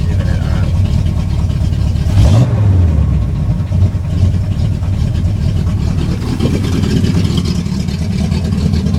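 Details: 1971 Cutlass SX V8 after rebuild, .030 oversized pistons, forged steel crank, 268 XE comp cam, still awaiting new Edelbrock carburetor: deep even rumble, quick throttle blip, smooth return to idle; runs healthy.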